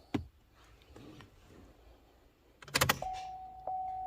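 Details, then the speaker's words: Chevy Cruze 1.4L after serpentine belt, alternator, AC pump, tensioner, water pump pulley and valve cover installation: a couple of clicks, then a steady thin fuel pump priming hum with no buzzing, as it should be. "yeah that's what we want no buzzing"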